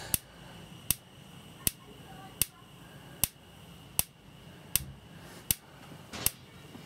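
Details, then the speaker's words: Dometic/Electrolux RM212 3-way camper fridge that would not light easily, during servicing on gas with the knob held in to bypass the thermocouple: sharp, dry, evenly spaced ticks at about 80 a minute before the burner lights. Normal igniter ticking. "we turn this on, I'm hoping, with a few ticks, you should get an ignition."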